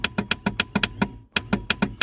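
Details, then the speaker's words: Reliant Rialto pickup on its first start attempt in a decade: even starter clicks, about seven a second, with no cranking. The owner suspects the inertia starter head is seized so it won't fly in to grab the flywheel. "So I think that's an inertia starter, and I think the head of it is seized so it's not flying in when to grab the flywheel."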